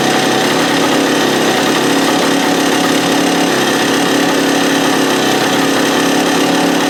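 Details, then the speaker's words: Free stand-up two-stroke jet ski after fuel-line drilling repairs, started on choke with the idle turned out: a loud, ragged drone with uneven pulsing, still running rough and not pulling cleanly. The owner later suspects the case vacuum line was misrouted. "Nuts. Still doing the same thing as it was before."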